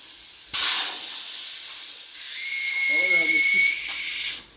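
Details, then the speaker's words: Tire being inflated on cleaned rim: loud steady hiss of air escaping around the bead for several seconds; bead not seated, leaking all round, rim may need better cleaning and more compressor air. "you can hear it leaking all the way around the bead which I cleaned it with wire brush but it might need some better cleaning"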